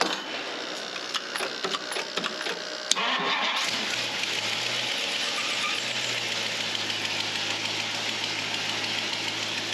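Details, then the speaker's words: 1962 Mercury Monterey, bored and built Ford 390FE V8, after work on timing issues: cranking and clicks, then catches and settles to an even, steady idle with no misfire or knock; sounds better than in a long time. "sounds good yeah sounds really good it hasn't sounded that good in a long time"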